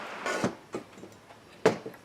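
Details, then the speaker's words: Husqvarna 372 chainsaw during assembly, clutch drum turned by hand: a few light, crisp clicks as the slot captures the oil pump worm gear, showing it is engaged correctly; normal. "Slot captures the worm gear. You know you got it right when you can hear that clicking."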